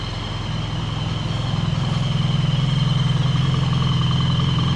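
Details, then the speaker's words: BMW R 1300 GS boxer twin idling back from the dealer; left side (always quiet) still quiet, right side previously rattling like rusty spanners now quiet, even idle with no ticking or metallic noise. "this is the left hand side that was always quiet anyway and as you can hear still very quiet go back to the right hand side that sounded like a bag of Rusty spanners and as you can hear sounds absolutely perfect"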